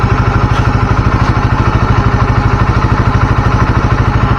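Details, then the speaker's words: Motorcycle engine idling right after an oil change to Deltalube Adventure 731 20W50, replacing oil that had reached 2,000 km; steady, even single-cylinder thump with no knocks; idle still smooth after revving. "termasuk termasuk alus Ya enak banget sih habis dibar-bir habis diik RPM tapi masih halus masih enak"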